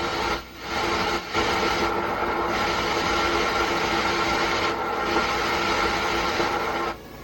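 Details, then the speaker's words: MR MCR 125 120 W solid-state amplifier with cassette player, nothing playing: loud, steady hiss like an untuned FM radio; customer reports intermittent thunder-like rumbling too; cause not yet confirmed. "सनसनाहट की आवाज आने लगती है। ठीक उसी प्रकार से इसकी आवाज सनसनाहट की आ रही है।"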